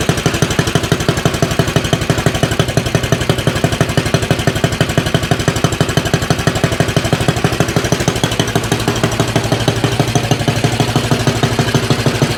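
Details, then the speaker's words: Axis M200 mini bike, 196cc single, 22mm Mikuni carb, aftermarket exhaust, governor delete, cold start before rejetting: loud slightly uneven lumpy thumping about three beats a second; rough overly rich idle puffing black smoke. "It does seem like it about mid throttle, it has kind of a flat spot, and also at idle, it is getting really, really rich. It's actually kind of puffing out some black smoke."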